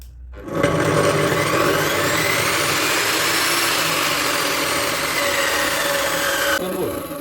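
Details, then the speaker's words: Profile saw (jigsaw) motor after fitting a soft start module: spins up quickly but without a harsh jolt, then holds a steady whir; very soft start, unlike before, when hard starts loosened the gear. "şimdi çalıştıracağım gördüğünüz gibi çok yumuşak"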